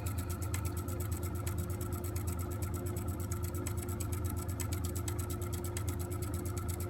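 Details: 8-year-old Vaillant EcoTec Plus 824 boiler, water pressure good, intermittent noise during central heating and hot water: a steady motor drone with a mid hum and fast even ticking from a failing circulation pump; fixed by replacing the pump.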